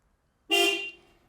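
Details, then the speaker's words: Toyota RA28 Celica fastback horn tested after the steering wheel was refitted on its hub with Allen bolts, during pitman and idler arm work. A single clear, strong honk: the horn works normally. "okay so now we can first up test the horn again"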